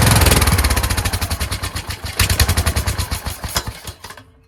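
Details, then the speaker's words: Kohler Courage engine mounted on a tractor, started on choke: lumpy firing about four per second that surges and sags before dying out. The owner suspects the throttle bracket. Rough running. "I put a spring here to have it return, but it was causing it to want to stop. Then I took the spring off, and then if you kept it right there, it worked really well. So I think it has something to do with this throttle bracket."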